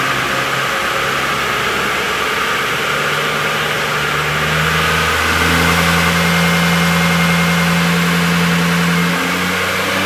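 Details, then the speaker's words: Toyota N70 Hilux with new Raptor supercharger and fuel pump, warming up on factory ECU base tune before parameters are reset: strong note climbing with load, smooth high whine following revs; supercharger normal. "just warming it up uh with the tune base set M thing that you want to call I guess the factory tun Inu uh just get it warmed up go through R then I'll reset all the parameters to suit new fuel pump and supercharger"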